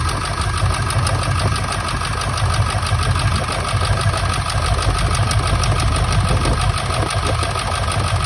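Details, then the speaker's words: 1999 Ford F-350 7.3 Powerstroke diesel at idle, still running rough: uneven loping beat about twice a second with irregular stumbles, one cylinder seemingly not firing; injector misfire being troubleshot by unplugging injectors, cause not confirmed. "Okay, so obviously it ain't running that great still."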